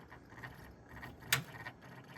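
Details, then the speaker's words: First boot of a PC after installing an MSI RTX 5090 Suprim and a be quiet! Dark Power Pro 13 PSU. Irregular light ticks and sharp rattling clicks sound over a soft fan hum. An unsecured hard drive is vibrating in its bay and needs securing down. Loose hard drive rattle. "I'm going to have to secure this hard drive down. Otherwise that's going to rattle."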